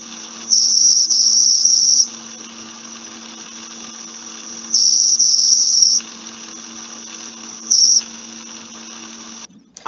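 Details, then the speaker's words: Rolling bearing squeal with energy concentrated between 5 and 6 kHz: high thin squeal coming on and off in one-to-two-second bursts over a quiet hum; adding grease likely makes it disappear temporarily. "if you have the chance to lubricate the bearing with some with some additional grease most probably you will notice that the noise will disappear for a while"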